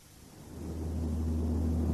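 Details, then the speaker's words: Toyota vehicle with a noise problem: a deep, steady boom of about 60 Hz that swells as speed builds and then holds. It is likely caused by an unbalanced or bent propeller shaft. "частота шума 60 герц это чистота соответствует то есть которую мог бы вибрировать карданный вал в случае несбалансированности или бен это значит что шум вызывается скорее всего карданным валом"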